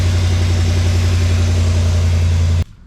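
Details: Chevy after fixing exhaust manifold leak and broken manifold bolts: deep even idle rumble, steady pulse, no ticking, then shut off; clean healthy idle.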